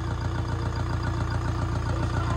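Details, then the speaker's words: Diesel car recovered from hydrolock after flooding, water expelled and parts retightened: even, steady diesel clatter at idle with a smooth low rumble and no knocks or misses; the engine is fine, with an oil change still due. "अभी तो भाई finally गाड़ी बिल्कुल okay engine में कोई problem नहीं है"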